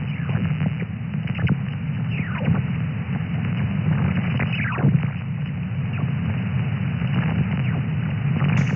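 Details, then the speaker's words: SDR receiver QRM in Thailand on a 5- or 6-element Yagi about 15–20 m high rotating toward northeast: steady low hiss with repeated falling chirps, level changing with beam direction; owner says not power lines or location-related; source unknown. "So you can, you can see actually the noise level changing the way or the moment that I'm going to turn the beam antenna."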